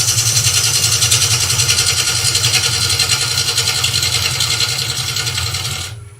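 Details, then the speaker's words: Wood lathe, bowl gouge cutting waste wood from a tall vase blank: steady hissing cut with even rapid pulse, no chatter or catches; clean cut after earlier wrong-sounding cut from a gouge that was fat-covered rather than blunt. "That sounds better. They're not so much blunt as they're covered in fat."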